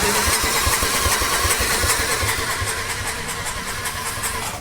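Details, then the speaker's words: Display motorcycle being revived, cranked over to clear water from the cylinders: even starter chugging about two and a half beats per second, never catches, fades out; afterward little is still coming out. "why don't you kick it over a few times and see what flies out of there"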